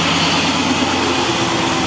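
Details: LS-swapped Monte Carlo SS V8 just started, on the stock cam with mellow exhaust: smooth, even, steady idle rumble with no lope or stumble; sounds healthy.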